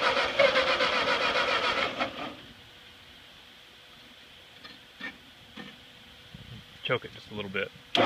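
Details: Ford 8N tractor that sat at least 4-5 years, first start attempt with fresh gas, carburettor drained and choke used: about two seconds of rough, uneven cranking that never catches, then a few clicks. Cranks but won't start.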